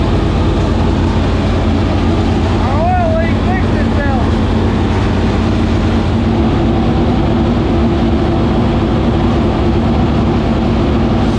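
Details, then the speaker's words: 465 cubic-inch V8 race engine, first start after three years and after getting improved fuel pressure: a deep, steady rumble with even firing and no stumbles or rattles, settling after being revved; normal running. "now it runs that thing right there you can tell how you would do it when you wrap on it and it and it's settled down time it just sounds like whoa like it big it took all the air out of the room"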